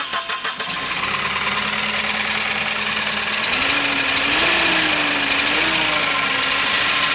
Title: P5000 Engine Knock